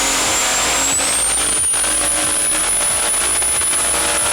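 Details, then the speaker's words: Turbocharged car engine: a thin, high whistle climbs in pitch and then holds over the engine roar, demonstrating the true turbo spool sound as distinct from the engine's own noise; normal, healthy turbo spool whine. "bunyi nyaring macam bunyinya muka gila judi pusing lagi nyaring bunyinya ring inilah yang membedakan bunyi terbodoh dan bunyi engine kita"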